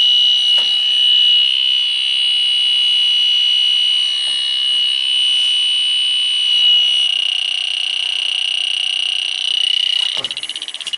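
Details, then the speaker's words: Central air conditioning air handler evaporator, low on refrigerant: an electronic leak detector gives a steady high shrill alarm that pulses faster near the end; refrigerant leaking at the evaporator, which needs replacing. "it she's a leaker the evaporator is leaking terrific what does that mean that means you get to get a new evaporator"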